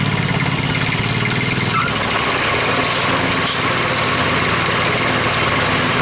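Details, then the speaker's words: Husqvarna Z254 zero-turn mower engine after ignition coil replacement, run briefly with the shroud off so cooling air isn't flowing through; small engine ticks over evenly with a steady quick rhythm, no misses or rattles, normal idle. "now sounds pretty good you don't want to run it much longer cuz it ain't got the stoud on it so the wind's not blowing through the motor right"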